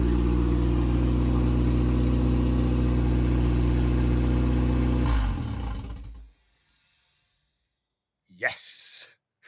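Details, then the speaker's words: MEV Exocet kit car with Mazda MX5 engine, first start after build: catches and runs with steady even idle pulse, no misses or knocks for five seconds, then shuts off cleanly; timing set correctly. "That is very good news. So, starts and runs."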